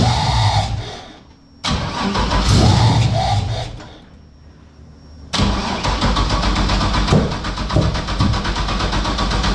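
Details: LS-swapped Toyota GT86 with 5.3 V8, freshly ported heads and valve job, after fixing no-start: catches after short crank, dips, then settles into steady lumpy idle with deep even burble; normal start and idle.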